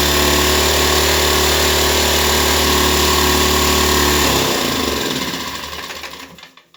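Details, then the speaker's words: Nearly new Ryobi 1200 (1.2 kVA) generator, 3 hours' use, unused for 3 years, that wouldn't start. After a quick fix and carburetor clean it holds a fast, steady, even beat and winds down smoothly at shutdown, running normally. "Okay guys, this was a success story. From I don't know what is wrong answer to the owner, to a 10-minute job to get it running and another half an hour to clean up the carburetor."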